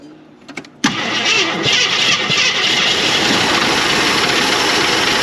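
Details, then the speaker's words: 1981 Jeep Wagoneer parked 33 years, first run, starter fluid used: cranks, catches, fast idle under a loud gritty hiss-rattle; a belt-driven accessory bearing (AC drive, also runs alternator) is gone. "This bearing's gone though. Was it spinning or no? No. Well, it was spinning, but it was making a lot of noise."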